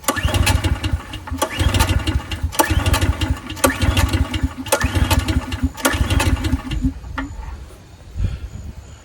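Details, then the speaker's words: 14-year-old Briggs & Stratton generator sitting 5+ years, choked, carb cleaner added: about six recoil pulls in seven seconds, short chugging bursts that never catch; cranks but won't start, starting fluid next. "and just like usual I've sat here for 10 hours and tried to crank on that thing so I don't got the patience for that"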